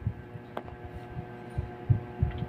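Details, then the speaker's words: Panasonic automatic washing machine set to spin: motor gives low steady hum with dull throbbing but drum and belt don't move, though wash works; belt and gearbox fine, run capacitor found visibly burst. "so che-check natin guys yung capacitor nito yun ang checkin natin kasi tulad niyan nilagay natin siya sa spin umuugong lang talaga an walang movement dito sa belt sa likuran"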